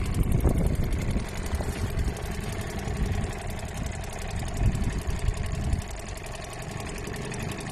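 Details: Old Seagull 40 Plus two-stroke outboard, restoration project, first beach test in the water. Chugs along then sags and falters near six seconds, cutting out; owner suspects clogged fuel pipe or little filter, plans to clean them.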